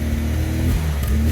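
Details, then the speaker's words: MGB GT first start after about 12 months stored, bonnet open: deep throaty exhaust note rising and settling with throttle, even firing, no misses or rattles; normal healthy revving. "have a listen to the exhaust note shall we sounds amazing fun"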